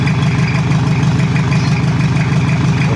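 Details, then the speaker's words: Toyota Kijang diesel that burns oil and has leaking compression, awaiting overhaul, not yet at working temperature, oil pressure normal: even, steady low-chug idle, no knocks or rattles, sound still okay for now. "sementara suaranya masih aman karena oli belum merata dan juga suhu mesin belum e temperatur kerja tekanan oli normal"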